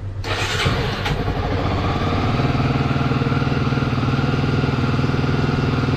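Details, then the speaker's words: Honda CBF 250, 2006, about 44,000-46,000 km, after timing chain and tensioner repair for a top-end knock: single-cylinder starts and settles into a smooth, even, quiet idle with no ticking; oil changed, filter still pending. "Dobra, CBFka po testach. pali ładnie. Nic nie stuka, nic nie stuka."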